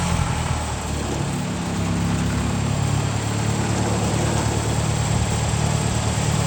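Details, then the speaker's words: Tractor running a homemade PTO-driven sprayer pump in cold weather, regulator backed out near 25 PSI: steady low drone with slight rise and fall in engine speed as the pump pulls; pressure fluctuates slightly, normal. "Fires right up, and now we're gonna watch that gauge there."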